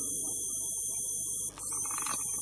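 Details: APC Back-UPS CS 500 while charging: constant thin, very high-pitched squeal over faint electrical hum, coming from the charger pulse transformer (not the capacitors, which are fine); transformer coil whine.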